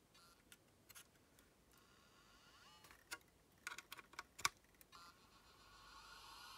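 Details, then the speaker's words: Olivetti Quaderno PT-XT-20 laptop hard drive powered through a USB interface: faint scattered clicks and no spin-up whir. The heads are stuck to the rubber parking bumper (stiction); the fix is to open the top cover and free the heads. "these cliques mean that the head is stuck to the the rubber bumper"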